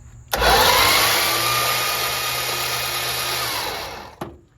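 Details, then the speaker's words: Previously seized Slant Six, freed and oiled, cranked with the spark plugs out: a quick, even starter whir with no compression pulses, spinning fast and freely. Normal fast cranking with no binding. "what's nice is now with the plugs out I can crank it over and it cranks fast check this out"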